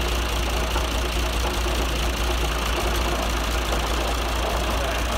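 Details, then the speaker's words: John Deere 2040 tractor diesel idling with a light, uneven metallic rattle at the front; worn water pump bearing, shaft wiggles, before pump rebuild. "working on a John Deere 2040 tractor it's got a bad water pump bearing so you can see by that wiggle right there and we're gonna fix it"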